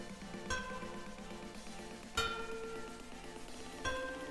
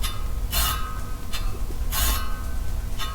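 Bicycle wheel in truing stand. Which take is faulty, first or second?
second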